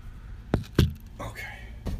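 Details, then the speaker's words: 2003 Mercedes S430 4Matic with 171,000 km, body pushed down: heavy thumps and a creaky rubbery squeak on rebound. A worn suspension rubber bushing is suspected, and silicone spray lube is tried before replacing parts. "So, you're hearing squeaking. It sounds sad. It means that one of the rubbers has gone bad."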